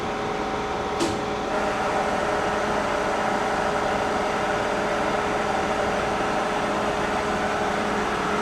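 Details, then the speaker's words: K&T mill after fixing loose connections and topping off column oil, spindle started at low speed (25): steady even hum with constant hydraulic pump whine, no knocks or grinding; normal smooth spindle run. "and smooth you can hear the pump working whenever you turn this on"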